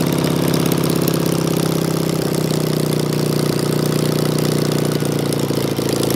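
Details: Engine with Solex 30 PICT carburettor, choke on: steady idle with a slightly uneven, lumpy beat and no clear knock, sounding rich, likely from overfuelling.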